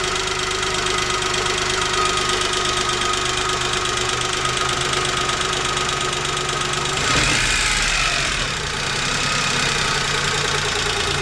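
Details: Chevrolet Spark 800 cc three-cylinder idling with a fast, fairly even light tick riding over the hum, steady through the clip; owner asks whether it is engine knock, cause unknown.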